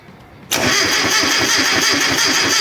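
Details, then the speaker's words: Classic Mini cranks with no start, zero spark found: starter churns at a steady even beat of about four to five turns a second with no firing or catch. Owner suspects a burned-out ignition component; cause unconfirmed. "Zero spark. Brilliant. All right, cuz of the mini being a pain in the ass and I still can't fathom why it won't start."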